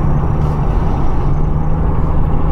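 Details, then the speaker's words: 2004 Acura TSX 2.4 after rear wheel bearing replacement, road test at about 45 mph, rear window down: steady low road rumble, no grinding formerly heard around 30-40 mph; rear bearings now quiet. "all right guys what a difference man it's so quiet in here now compared to what it was before before it sounded like i don't know something was grinding all the time at a certain speed like 30 40 miles an hour but not no more"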